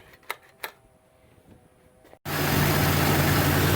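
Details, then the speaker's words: Jeep XJ after throttle body removal and cleaning with a new gasket, which fixed a rough idle: a couple of clicks, then the engine catches and settles into a smooth, steady idle with no stumble or hunting. "idling real smooth"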